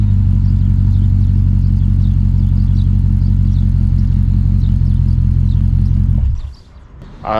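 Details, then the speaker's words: 2006 Dodge Magnum, center suitcase muffler replaced by two pass-through Magnaflow mid mufflers, tailpipes not yet hooked up: loud, deep, choppy idle rumble with a raw open bark; exhaust dumping out after the mid mufflers. "okay mid mufflers are on tailpipes aren't hooked up yet still but i wanted to give like sound bites of in between"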